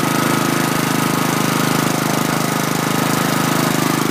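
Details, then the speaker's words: 2011 Troy-Bilt 21" push mower with Honda GCV160 engine, after carb cleaning, stale gas drained and new brake control cable: fires quickly, steady smooth drone, quiet muffler, no misses or surging; running healthy. "It's got a nice smooth sounding muffler, nice and quiet."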